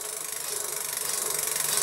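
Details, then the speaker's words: Cyrusher Trax electric fat bike, wheel spun with bike upside down: soft hissing swish pulsing evenly each turn as the brake disc rubs the pads; not a brake adjustment issue but a warped disc needing truing. "par contre on aura un problème de réglage de freinends enfin quand ça fait ce bruit"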